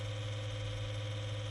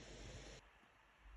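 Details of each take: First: Lenovo V155 laptop cooling fan still drones loudly with a steady whir and low hum after dust cleaning and thermal paste replacement; worn cooler must be replaced. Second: Lenovo V155 laptop after replacing its loud, howling cooling fan with a new non-original fan, running a CPU and GPU stress test at maximum load: soft, even airflow hiss with no whine or rattle, much quieter than before.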